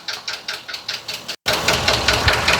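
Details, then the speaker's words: 2020 Ford F53/F59 motorhome, 7.3 V8 gasoline, code P0301, knock began while driving: sharp, regular tapping about five per second over a light idle, located by ear at cylinder 1; misfire knock. "Ahí pueden escuchar. No sé si escuchan. Yo lo escucho este es el cilindro número 1. Como por aquí está el ruido, podemos decir, ¿verdad?"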